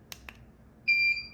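A quiet room, a faint click, then one clean high beep lasting about a third of a second: the strobe has recycled and is ready.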